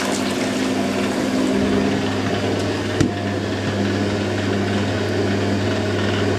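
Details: Hoover A3060 Electronic 1100 washing machine, 60°C cycle, first wash after storage, draining before spin: strong steady pump drone with water rushing through and no rattle or labouring; drain pump emptying properly.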